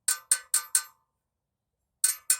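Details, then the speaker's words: Spoke tension tap test on a 21-inch rim laced to an older 19-inch Harley big twin hub (sealed bearings), fitted to a Sportster front: short bright pings in sets of four and three; tight spokes ring differently from loose ones. "a good good and tight one will give off a different sound than a loose one"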